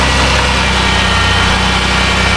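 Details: 2010 Dodge Grand Caravan 3.3 idling after a used PCM replaced the suspected bad computer that caused bogging and stalling; even steady low rumble, no stumble, miss or surge, closed loop reached and O2 switching.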